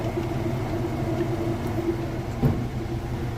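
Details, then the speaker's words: Whirlpool top-load washer on final spin cycle, lid switch disabled: steady fast whir with low even rumble and no knocking or scraping; drum spins normally at top speed. "right now you can see that it's spinning super fast. Nice"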